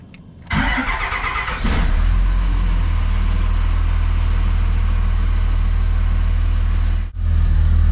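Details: 2005 Dodge Ram 2500 diesel after water-in-fuel sensor repair and refilling the fuel filter housing; a short crank, then it catches and settles into a steady, deep, even idle with no stumbling.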